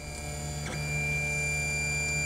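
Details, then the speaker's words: Tevo Tornado or Tarantula 3D printer Z axis moving: even electric hum with steady high tones from the stepper motors, normal stepper motor noise, no grinding or knocking. "c'est sans doute dû stopper amateurs c'est normal alors on va essayer de faire de bruit"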